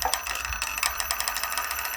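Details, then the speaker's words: Small electric motor on a custom RC tower crane, run at reduced power (stated as "30 and 5 percent" forward and reverse): sharp, regular clicking, one click each time the sensor fires, occurring with any load and no grinding. Cause uncertain. "on the sensor and it's when the sensor fires each router um each yeah click click it clicks each one click click click"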